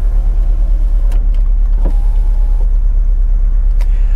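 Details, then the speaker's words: Cheap BMW Z4, 103,000 miles, at idle with flashing engine light: lumpy uneven idle, low thudding beat, stumbling about twice a second, car shaking badly; owner hopes it's just a coil pack. Engine misfire at idle. "think i'm going to turn that off before i do any any damage because that sounds terrible"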